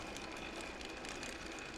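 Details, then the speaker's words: 1/6 scale Armortek Hetzer Jagdpanzer 38 tank, 24 V, road test: even drive whir with soft steady track-link patter, no binding or grinding; noise is road wheels moving on their springs. "this is so much better it's actually it's not binding anymore that noise you can hear is just this W this wheel going up and down on its on its spring that's definitely better really pleased with"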